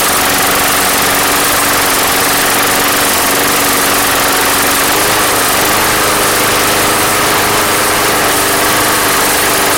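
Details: Craftsman Platinum mower, Briggs 190cc, after fixing no-start with replacement carb; steady even hum with no surging, misfires or hunting, running smoothly, though gas had been pouring from the crankcase vent.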